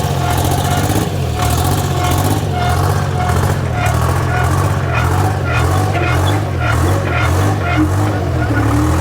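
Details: Michigan 55A loader with rebuilt 3-53 Detroit Diesel two-stroke, abandoned 14 years and previously seized by water in the cylinders: steady, heavy low rumble with no misses or knocks; running healthily, though leaking diesel.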